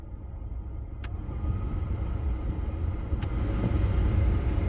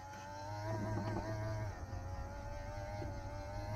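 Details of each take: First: 1985 Pontiac Fiero GT, key on, engine off, heater controls set to vent after mouse-nest duct cleaning; steady low whoosh of air building smoothly, no rattle or squeal, plenty of airflow though smelly; normal blower operation. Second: 1985 Pontiac Fiero GT V6, key on, engine off, heater controls turned to vent after mouse-nest ductwork cleaning: steady blower hum with wavering, straining whir as the blend door actuator struggles to reach position, then settles.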